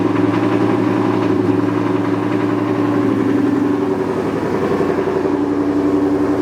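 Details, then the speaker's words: New 5.0 V8 car just flashed with a Lund Racing tune on E85: even, settled V8 burble at warm-up idle, data-logged for three minutes, with a steady pulse and no misses, ticks or knocks; a normal idle. "okay so right now i just live in the car idle uh for three minutes got the log going right there"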